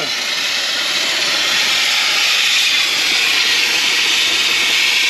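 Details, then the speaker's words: 1962 Ford Falcon, long-stored, after new brakes, overheated on a drive: loud steady high hiss with no engine beat; hot coolant escaping as steam through a blown hole in the radiator. "Oh, yeah. It just blew a hole. It just blew a hole."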